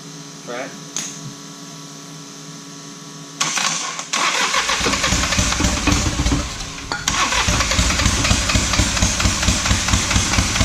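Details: Diesel truck started after sitting five years catches, then climbs to a louder, harder run by itself and keeps going; a runaway.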